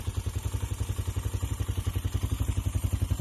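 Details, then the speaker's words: Carbureted engine after re-jet and clearing a clogged catalytic converter for free flow, heat-wrapped pipe steaming in very cold weather, rapid throttle: deep, even exhaust thump about four pulses a second, strong and unrestricted, no rattle or miss; louder exhaust note, normal running. "we already here sounds a little more bang. As you can hear. You can hear it. Give some rapid gas."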